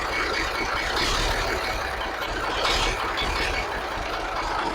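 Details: 1983 Kenworth cab-over, Cat A-model diesel, after setting injection pump timing and overhead; started right up after battery charge, possibly running low on fuel; steady even idle clatter with no misses or knocks; owner thinks the idle/starting problem is fixed.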